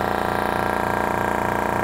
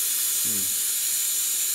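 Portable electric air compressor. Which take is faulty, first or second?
second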